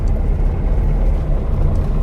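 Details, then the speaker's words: Porsche 912 air-cooled flat-four, cold day, just got running after points, condenser, cap, rotor, HT leads and plugs were removed; deep steady rumble held at fast idle around 1,500 rpm (previously 2,500), owner suspects timing needs adjusting. "because let me just see oh it's still idling at 1 500 so i think that's just oh it just needs uh the timing adjusting yep because previously it was two and a half thousand"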